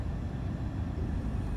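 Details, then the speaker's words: Chrysler Sebring auction car with a stored cylinder 3 misfire code: low, uneven idle rumble with a slightly lumpy beat; rough idle that the owner suspects the misfire explains. "because if I reset it I had detected for another drive cycle and that could explain in myself my rough idle that could explain my rough idle"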